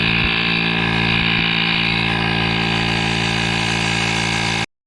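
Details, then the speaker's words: GOOLOO A2 2500A jump starter's built-in air compressor inflating a tyre from about 10.2 psi, reaching its 32 psi preset: steady loud buzzing hum at even pitch until it cuts off; running normally. "All right, guys, so we hit 32 psi."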